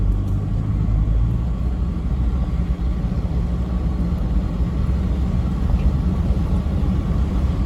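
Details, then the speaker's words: Newly installed Toyota 1KD diesel engine, replacing one whose injectors were badly worn, driving at cruise with the driver's window down: a low, even rumble with no knocks, ticks or rattles over road noise; running quiet and healthy. "Now, the important part in this short video is this thing is just absolutely beautiful at the moment. Have a listen. I've got the driver's window down. You can't hear a thing."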